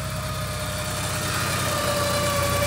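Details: 1983 Porsche 944 revived after sitting 14 years, first test drive, temperature and oil pressure gauges normal: smooth, even idle with a steady low hum and no ticks, knocks or misses; normal idle.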